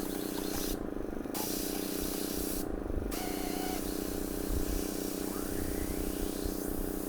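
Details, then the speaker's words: Airbrush with a cup of liquid acrylic fabric paint: a steady airy hiss breaks and shifts in tone as the paint draws up after air bubbles show. This is normal siphoning, priming and spraying. "you can hear it when it comes up, it goes."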